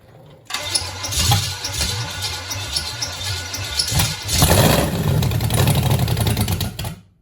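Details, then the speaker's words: Small-block Chevy V8 from a 1966 Chevelle, revived after appearing locked up, catches and runs loud and lumpy with an uneven, stumbling beat; misfiring, not on all cylinders, because about three spark plug wires were on wrong. "All right, she's running pretty bad. I mean, she fired, but yeah, I don't think she's firing on all cylinders. But all right, make fun. I had like three wires on wrong."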